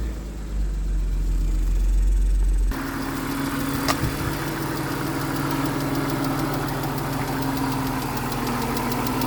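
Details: 2000 BMW Z3 2.5 at idle: fast, light clicking tick over the engine note with rough rhythm; cause not yet identified.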